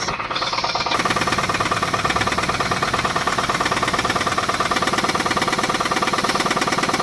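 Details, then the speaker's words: 2006 Pontiac G6 restarted after an oil change with about a quart added, following an oil filter housing gasket job; a sharp, regular deep knock at about three a second persists over a steady idle. Owner believes it is a rod knock; unconfirmed. "Looking okay. Still got the knock. Let's just give it a little bit."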